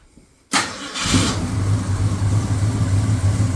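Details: 1965 Ford Fairlane V8, cold, started after the fast idle was turned in another quarter turn (target about 1,000 rpm warm-up) and given one pump shot; timing may be slightly off. Short crank, fires at once, steady fast idle; normal cold start.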